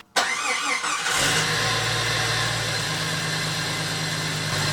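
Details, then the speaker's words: Jeep YJ whose engine kept dying, started after a belt-off test found a noisy idler and a crunchy alternator: it fires and idles with a harsh, gritty hiss. The noise is suspected to come from the alternator or power steering pump, not confirmed. "and now yeah so that noise is either in the crunchy alternator or in that power steering pump"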